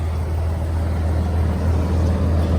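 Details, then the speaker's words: 1994 Dodge Dakota six-cylinder, started after working the transmission lever through the gears; a failing neutral safety switch is suspected. Steady, even low idle rumble with no knocks, misses or ticks; normal idle. "I mean, as you hear, it sounds pretty good."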